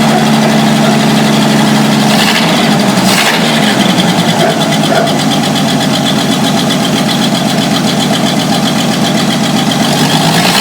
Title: 1949 Studebaker truck after fixing vacuum leak!